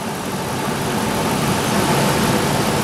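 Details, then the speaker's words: IAC valve test using a bi-directional scan tool, IAC commanded to 50%: idle climbs quickly, smoothly and steadily with no stumble or hunting; IAC responding normally; normal idle speed increase. "what do you notice the IC percentage moved to 50 and the RPM raised quickly and smoothly"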